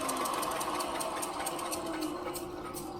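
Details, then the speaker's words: About 4-inch belt sander, unused for a while, test-fired after belt tension set via lever and dial: even whir with light regular tick about four times a second from belt joint; normal belt sander running. "some sanding joy right there."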